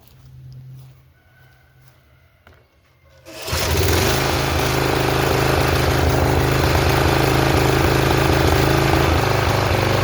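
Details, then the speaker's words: Flood-damaged Snapper RER mower, pull-started on choke: catches and runs loud with an uneven popping and coughing beat; owner suspects water still left in the fuel tank and ATF still in the motor. "When I drained it out, there was still a lot of water in this tank. And I tried to get it all out. And I think that's kind of why it's popping and coughing."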